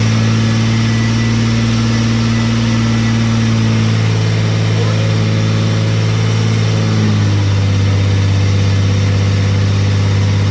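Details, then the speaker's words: Carbureted engine at first fire-up while setting ignition timing: steady idle, then speed rises on its own with no throttle input, a high idle surge from a vacuum leak because one carby port was not blocked off. "Alright, so in a second you'll hear the engine rev up. The reason it's revving up is because your boy forgot to block off one of the ports on the carby."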